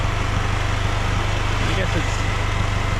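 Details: Polaris Slingshot at idle in the garage before an oil change: a steady low idle rumble under a loud whooshing cooling-fan rush. The owner dislikes the fan sound and thinks something may be rattling or broken underneath; cause unconfirmed.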